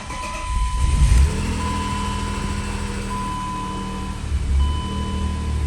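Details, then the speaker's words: BMW E36 M3 after oil filter housing gasket, cleaned/new idle control valve, new idle control valve hose and intake boot to fix rough idle: low steady idle settling to even beat, no hunting; idling better than before. "so it's idling better than it was before the hose anyways"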